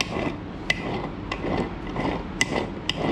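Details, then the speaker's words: Transmission removed from the car, turned by hand: uneven clacks about twice a second over a dry, gritty rasp; rough internal fault, gearbox suspected to have no oil. "You can hear that? I don't think that sounds good. I don't think there's any oil in it neither."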